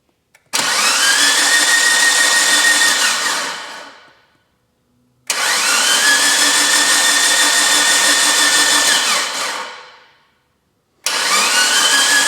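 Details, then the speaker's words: Mitsubishi Lancer Evo 8 restoration, first cranks with oil pump packed and battery a little low, no oil pressure yet: three even four-second starter bursts, smooth steady whir with no firing; normal cranking. "give her a few cranks a few revolutions and make sure everything sounds healthy for starters"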